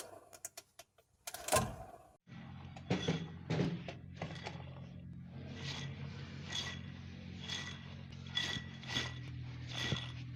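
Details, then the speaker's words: Damaged automatic-transmission torque converter: irregular metallic clunks and rattles each time the unit is moved, like loose pieces inside, indicating internal damage. "Cuando el convertidor está dañado, al momento de moverlo, se podría escuchar un sonido de que algo hay suelto en su interior."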